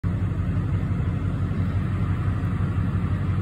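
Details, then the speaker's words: 2006-07 Duramax LBZ diesel in a Chevrolet truck, just started cold at about 70°F with fresh oil, 340 miles on it: high idle set via truck programming at about 700 rpm. Even, steady rumble with no knocks or misses; healthy. "so this is the high idle turned on from the truck programming as you can see I just started the truck it's about 700 RPMs and it's not even that cold outside"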